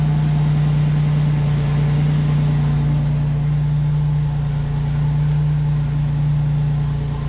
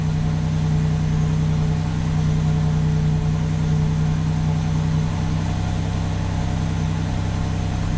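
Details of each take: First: 1987 Buick Grand National idling after warm-up enrichment was reduced; steady, even pulse, no misses or knocks, runs smooth but still slightly rich. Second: 1987 Buick Grand National turbo V6 at idle as warm-up enrichment is pulled from 30% added fuel; faint hum drops away midway as the mixture leans out, engine note audibly changes.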